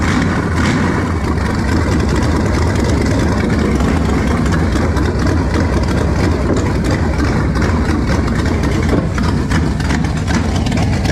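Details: Engine test-running on a trusty 2-barrel carb swapped in for a used, rebuilt 4-barrel judged junk: deep uneven idle with scattered sharp pops throughout, blowing fire out; runs better than before, owner suspects air-fuel mixture needs setting.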